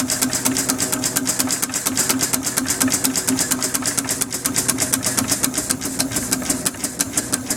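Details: Homemade steam engine built on a Villiers two-stroke crankshaft and flywheels with a bronze cylinder, running on only 10 psi: crisp, even exhaust chuffs at roughly two per second over a light mechanical hum; healthy exhaust beat.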